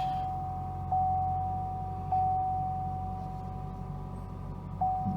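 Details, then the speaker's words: Wrecked 2017 Cadillac ATS just after start-up: a single mid-pitched chime repeats at uneven intervals over a quiet idle as the airbag system flags a fault (trunk also open). Airbag warning chime. "Apparently we got a problem with some airbags. Seems to be upset about that."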